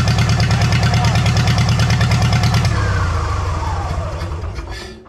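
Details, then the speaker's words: Farmall H pulling tractor after a pull, governor spring changed, started after tweaks: uneven lumpy chuffing about three beats a second, sagging as revs fall, sounds funky; misfire. "still sounds a little funky to me something's off"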